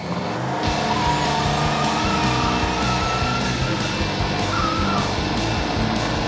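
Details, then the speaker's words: Wrecked Ducati Panigale being rebuilt, started after an unplugged part was plugged back in. It catches after a short crank and settles into a steady, lumpy twin-cylinder idle, with music over it. Smoke comes from several places, source unknown, but it runs. "At this point, I'm just happy it started."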